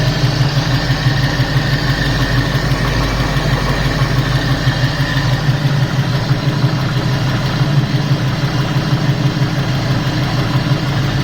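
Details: 351 Cleveland V8 at idle: fast light ticking about three a second under the rumble, coming from the passenger side of the engine; cause not identified.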